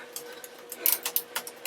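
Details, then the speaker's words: Bicycle on an indoor trainer during a team time trial, rear derailleur cable apparently snapped at the shift lever, stuck in hardest gear; light regular clicking several times a second: rear drivetrain clicking. "Clicking. The cable's there in the rear mech. Must have snapped at the lever."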